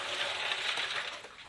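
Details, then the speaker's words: Emptied electric water heater tank rocked by hand, loose limescale/calcium rattling inside with gritty clinking; buildup causes slow heating and high electricity use — limescale rattling in water heater tank. "So, for example, in my case, you can hear as I move the heater. Now I just empty it of water. You can hear the sound of the lime"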